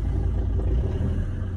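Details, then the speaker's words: Ambulance engine on its first drive in about 10 years: low, smooth, even rumble with no knocks, misses or hunting; idling normally and sounds okay. "well this is the first drive i'm having on my ambulance so engine is running"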